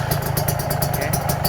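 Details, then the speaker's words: Rebuilt Kawasaki Ninja 150 two-stroke with ported block and all-new gasket set, first start after rebuild with exhaust fitted: even, quick idle putter with steady rhythm, no knocking or rattling; runs smooth and quiet, normal idle. "halus banget bisa teman-teman dengar ya halus senyap"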